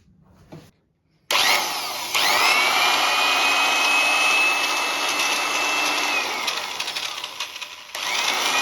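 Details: Drill without speed regulator, just after gearbox revision with new grease and bearing reseated: spins up to a steady, even high whir with no grinding or knocking, coasts down and restarts smoothly; gearbox sounds healthy.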